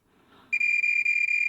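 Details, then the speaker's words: Marantz 1180DC amplifier output transistor tested with a multimeter: steady high continuity beep the moment the probes touch; dead short, though the transistors are in parallel. "okay that is a dead short and that noise is so annoying I hate that's the only thing I don't like about these meters"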